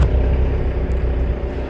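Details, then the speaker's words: Moored boat inboard engine run to charge the batteries: deep, heavy rumble hunting up and down with uneven dips as it runs out of fuel. Rough running from fuel starvation. "of the engine hunting up and down that's because it's run out of fuel now that's okay cuz that's solvable"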